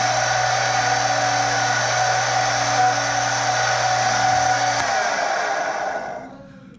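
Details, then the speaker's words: Stenner peroxide injection pump for well water, in the basement, running after its leaking tube was replaced; loud, steady whirring with a quick even roller beat of about four per second, then winding down. It really is that loud; normal pump running. "I just want to point out that for whatever reason, it really is that loud. And thankfully it's in the basement and not, you know, right next to my pillow at night or whatever when the water goes off."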